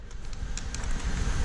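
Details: Vehicle idling after a battery replacement, on a cold snowy day; low, even rumble with no knocks or tones. Smooth, healthy normal idle.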